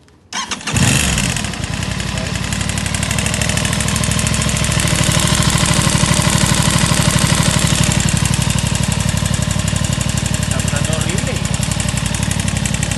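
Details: Aprilia RS660 starting on the button and settling into idle: a steady light knock about four times a second, cause not pinned down; engine knocking noise.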